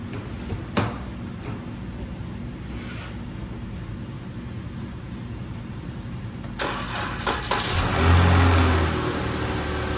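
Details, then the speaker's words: 2012 Chrysler 300 3.6L after rocker arm replacement, with both cams damaged: starter cranks, it fires and settles into a smooth, even idle with no ticking; normal idle. "man that sounds pretty good for two bad cams that's a shame our cams was messed up what a shame"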